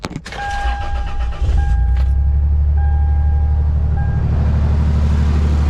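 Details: Toyota with about 290,000 miles, after replacing a part with an OEM Toyota replacement: short crank, quick catch, then smooth, even low idle with no knocks or rattles; starts and runs fine.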